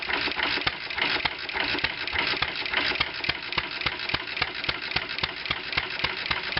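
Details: 1920 International Type M No. 1 antique single-cylinder kerosene/gas engine, hand started, running on a weak magneto; sharp regular firing pops with clattery top end. Runs hot at the exhaust outlet; timing checked correct, so owner blames worn valves and loose guides.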